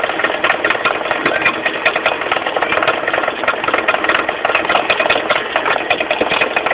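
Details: Mitsubishi 4G15 carburetted engine idling with sharp ticking knocks about once a second from low at the front, the crankshaft pulley area: a loose crankshaft pulley, fixed by tightening it rather than replacing it.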